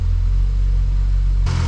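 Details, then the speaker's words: 1974 AMC Hornet first cold start after Holley Sniper EFI install with aluminum intake and new exhaust manifold: started first click, deep steady low idle rumble with no stumbling or hunting; normal idle. "he just started right up for first click loving that"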